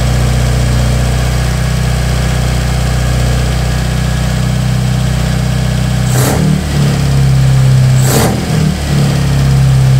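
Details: Toyota 4A-GE with bike carbs and adjustable cam gears, first start: crisp even idle with a lumpy cam beat, then two sharp clean throttle blips rising and falling freely; normal running.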